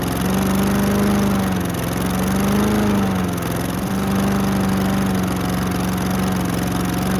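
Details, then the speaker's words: Husqvarna HU700H mower with Honda GCV160, sat 3+ years, carb cleaned, auto choke closed: runs on choke with speed rising and sagging every second, hunting as if fuel-starved; suspected fuel not flowing fast enough to keep the bowl filled (fuel line only dribbled). "I wonder if it's not going through the carb fast enough for it to constantly have the bowl filled."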